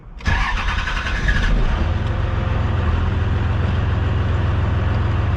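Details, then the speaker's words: Truck with a newly installed starter replacing one used for 175,000 miles: brief, quick, strong cranking, then the engine catches at once without touching the throttle and settles into a steady, even idle; normal cranking and start. "Like, that is insane. No need for the accelerator anymore to start this thing."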